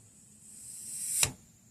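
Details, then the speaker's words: Vintage 26-inch RockShox SID suspension fork, stanchion pushed down by hand during friction testing; dry hiss rises then a sharp thud, extremely tight where bushing markings are: fork binding in tight bushings. "It's very tight. Right around here. Where you can see the markings. It's extremely tight. Very tight."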